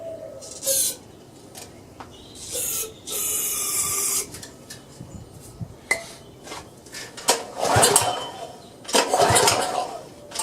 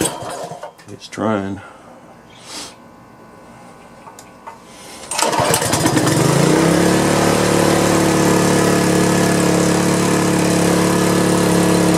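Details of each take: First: Power washer engine that won't start, air cleaner off and carb cleaner sprayed in, before carburetor cleaning; irregular rasping pull-cord strokes with no firing; cranks, no start. Spark was later confirmed and a varnished float bowl was found. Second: Power washer engine after carburetor cleaning, started once its on/off switch was turned on; a few handling knocks, then it catches at about five seconds and settles into a steady, even run; normal start and running.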